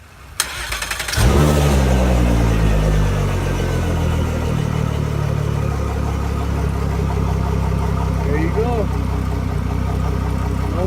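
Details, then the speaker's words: Mercury Verado 250 outboard after replacing the leaking isolator boot that caused a vacuum loss, hissing, high idle and shift actuator fault: cranks, catches and settles to a smooth normal low idle, no hissing. "idols like to normal we have a success"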